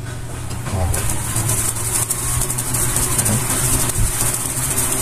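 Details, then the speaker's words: Electric fan that had been weak, slow, nearly stopping and overheating, now fitted with a new capacitor. Steady airy rush and low, even motor hum holding strong: normal running, confirming the capacitor was the fault. "Comprei meu capacitor. Na segunda velocidade também está forte. E na primeira velocidade também está forte."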